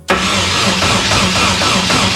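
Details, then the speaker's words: Nissan S13 240SX KA24 after new cylinder head and head gasket fitted, first cranking with leaky fuel line: strong, even cranking quickly catching, no uneven beat or hiss; compression good, head sealed. "okay that part sounds like it used to does still have compression you guys tighten the head gasket down good sweet it's got four Pistons still"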